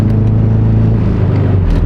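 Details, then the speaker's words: Built Subaru, rated 800 hp on its stock motor, driven with the oil light steady: heavy, rough rumble with uneven throb and strong vibration as power fades; broken connecting rod, owner suspects a possibly broken crank. "Look at that idle. Would the car be shaking this bad if it wasn't a rod?"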